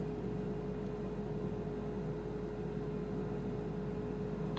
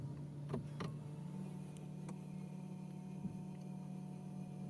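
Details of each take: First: BMW i3 after a new water pump, just switched on. Steady, even hum from the front cooling fan, which came on when it shouldn't. The drivetrain error seems no longer to appear; the owner suspects a faulty EDME unit. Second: BMW i3 with drivetrain error after fitting a new water pump, switched on: low steady hum comes in after a second and holds even; coolant pump starting up and running normally.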